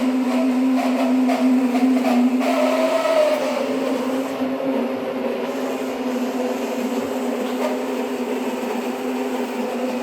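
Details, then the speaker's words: Tesla parked after a coolant leak, fine the night before: steady loud mid-pitched whir with higher whine, unchanged, seemingly from inside the car, continues after unplugging and shutting off via touchscreen; source unidentified. "And it was fine last night. And now today it's making this horrible sound."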